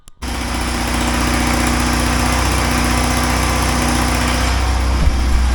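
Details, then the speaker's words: 1980 Triumph TR7 started after exhaust leak repairs and new air filters: engine catches and settles into a steady, throaty idle with a rapid uneven puffing chuff; the exhaust leak is still present, location unknown. "I didn't solve the exhaust leak have to look into that some more find out where it is"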